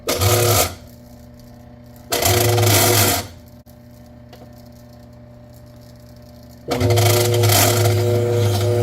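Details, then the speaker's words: GE stacked washer/dryer combo (GTUP270EM5WW), front panel off: loud rough grinding bursts from the washer during agitation, to be fixed by replacing three parts, a worn clutch and shifter. "So, to resolve this grinding noise issue, we'll be replacing these three parts."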